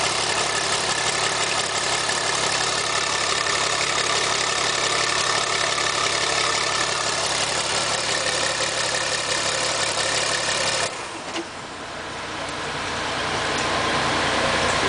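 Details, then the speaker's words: Bus 240 diesel engine, freshly fitted new cylinder head, run briefly without coolant or radiator: even clatter around three beats a second, dips and picks back up smoothly; normal running. "That was the engine starting for the first time after putting a new cylinder head on it and block. One more time, run it. Don't want to run it too long without any coolant in it."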